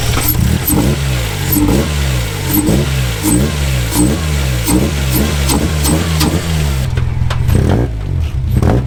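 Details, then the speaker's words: Car rebuilt after a fire, timing just set: engine settles into an even idle, picks up cleanly on each throttle blip and drops back without stumbling or dying; normal idle and revs. "the throttle is really responsive we can like give it a bit of a rev and it won't die it'll still idle"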